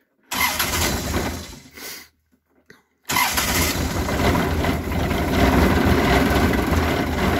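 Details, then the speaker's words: Kioti CS2510 tractor diesel cold start at about 33°F on February 8, first start since October after subzero storage, glow plugs used: cranks, catches briefly, fires on second try and settles to a steady chug; normal cold start. "this will be the first time it started since october there's that so it's been a while it's uh february 8th it's about 33 degrees outside so let's see"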